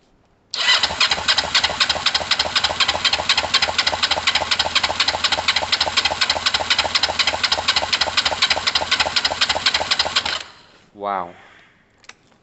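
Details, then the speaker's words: Kawasaki ER-5 twin, right cylinder compression test, cranking with throttle wide open. Strong, even cranking at about four beats per second with firm pulses, reading about 175: the right bank is very healthy. The owner suspects the carbs for its running fault. "bloody hell guys that is a very healthy right Bank hopefully the Left Bank can hold its own"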